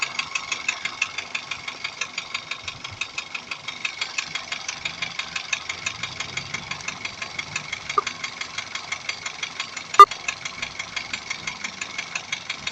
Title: стук в двигателе дайхатсу урв 1.3 турбо